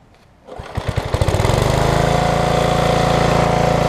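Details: Craftsman big rear-tine tiller, 5hp Briggs single-cylinder, after replacing ignition coil (no-spark fault), pull rope assembly and refitting kill wire: pulls over with a few slow chuffs, catches within a second, settles into a steady even beat.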